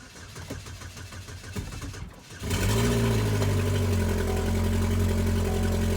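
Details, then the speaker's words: 2.4 Ecotec after low fuel pressure fix (codes P0171 and related cleared), fuel pump reinstalled: quiet cranking, clean catch, brief flare, then steady even idle with no stumble; normal start and idle. "that's better a lot better yep"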